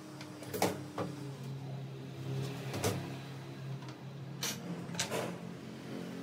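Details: Mercedes C200 after repair of its engine control unit (ECU), which had been causing misfires when cold after sitting overnight despite new spark plugs and coils: smooth, even low idle hum with no stumble or miss, a few workshop clunks around it; engine sounds healthy.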